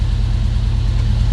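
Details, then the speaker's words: Volvo 145 on Weber carburetors, back on the ground with brakes fixed and Webers seemingly in tune, warming up: low, even idle with a steady pulse, running much nicer than before. "so now it's running much nicer what it used to"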